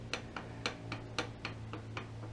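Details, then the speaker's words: 2015 Suzuki DL1000/SV1000 clutch basket at 15,000 miles, rocked by hand: light, regular clicks about four per second. The basket bearing is worn, with noticeable free play compared to a new basket. "but you can see the difference right there that's already got quite a bit of slop at 15 000 miles here"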